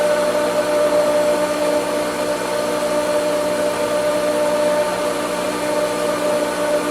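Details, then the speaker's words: Pool pump started in vacuum mode after connecting the vacuum line: steady motor whine under an airy rushing hiss with no solid water note; pump sucked a lot of air and is trying to prime. "Turn the pump on. Now, you got to test prime. Remember, it sucked a lot of air, so it's got to get that working."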